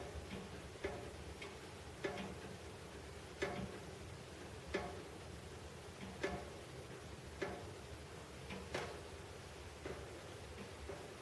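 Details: Heating pipes knocking after major renovation in a quiet room: sharp, hollow, uneven knocks roughly once a second.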